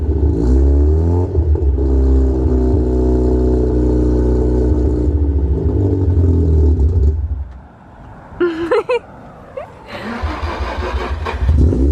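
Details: Mazda RX-7 rotary, just started after a hard start, smoking out the shop: steady low idle drone whose pitch sags and recovers, then blips; idle hunting, cause not clear.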